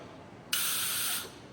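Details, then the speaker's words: Holley 4150 carburetor, a dry bowl with no fuel in it. Air is blown into the fuel inlet with the float down. Quiet, then a sudden steady hiss under a second as air rushes through. Needle and seat open properly; valve working. "I don't feel like doing one that already has gas in it, blowing it. You can hear how the air comes out."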